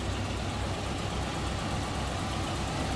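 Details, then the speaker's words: 1941 Cadillac Series 60 Special Fleetwood, 346 cubic inch flathead V8: smooth, even low idle rumble at steady speed, no knocks or ticks; a healthy, quiet idle. "That's how quiet that runs."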